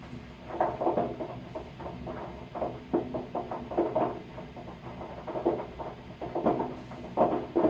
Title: Sound of sediment popping in hot water tank